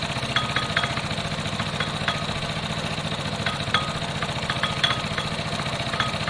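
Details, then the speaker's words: Piaggio Fly moped on a test run: small engine idling with an irregular light metallic rattle and clicks, a common centrifugal clutch rattle, first suspected to be the rollers; the fix considered is swapping the clutch. "it's got a bit of a clutch noise um it's quite common with these a bit of a clutch rattle i thought it was rollers up first"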